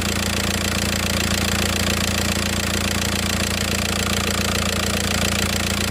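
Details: VW Passat 2.0 TDI pump-duse (BHW) diesel after the DIY oil pump conversion, engine covers off: steady idle clatter with an even rhythm and no extra knock or whine; the earlier sound is gone and it runs normally.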